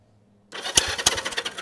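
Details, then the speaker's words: 1973 Honda CB360 twin, bought cheap and sitting with tank missing, cranked on a jump box with spark plugs out to check compression; uneven chuffing pulses about three a second on both cylinders, sounds like healthy cranking compression. "that sounded good I don't know about you guys but that sounds like compression to me"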